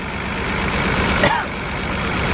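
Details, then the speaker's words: BMW 328i with rough running and misfire: rough, lumpy idle with uneven low throb; unplugging tests show cylinders three and four not firing; suspects injector, spark plug doubted, possibly blown head gasket. "we got an issue with three and four which is not good at all"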